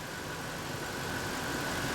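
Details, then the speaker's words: Ford F150 4.6L V8 (code P0402) during EGR vacuum testing, with a finger over the vacuum port: a quiet, even idle with a steady hum and no stumbling; running much smoother; normal idle. "alright so I'm gonna put my finger right over the pork and we should hear the engine stumble it's much smoother now I mean it's fine but that should open and you should hear to stumble"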